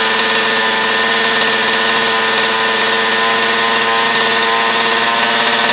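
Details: Old Zenoah chainsaw after hard-start repair, choke opened after starting: smooth, steady two-stroke buzz with no stumbling or surging; normal, even idle.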